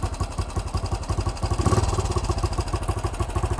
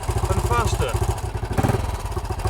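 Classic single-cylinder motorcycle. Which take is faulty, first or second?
second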